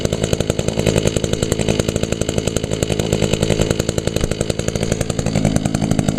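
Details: 2002 Echo SRM 2400SB slip-boom trimmer, 13 years old, started on choke after priming; a little smoky from a fogged cylinder, muffler clean; steady high idle with an even, crisp firing note and no misses. Normal running.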